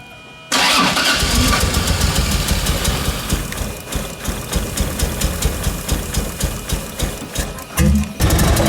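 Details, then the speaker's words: 2JZ-swapped Nissan 240SX running lumpy and uneven with irregular pulses, seemingly on only about three cylinders while the timing is being checked with a timing light; bad misfire. "Alright, so Trevor's got the timing light out since it seems like it's only running on like 3 cylinders or so."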